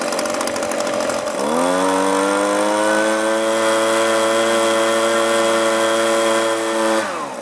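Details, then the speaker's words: Echo leaf blower after low, high and idle screw adjustment: revs cleanly from idle to a steady high-speed drone without surging, then drops back smoothly; normal running. "the way this came it didn't run very well a little minor adjustment to the carburetor and it's running great now"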